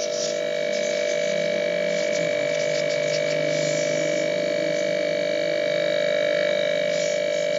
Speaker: Ini susunan ini nutup total yang ke ini mau piston ini, ini karena rapat tetap tidak hidup. Karena beban ini, tekanan ini tidak bisa keluar, tidak bisa lolos dari filter ini.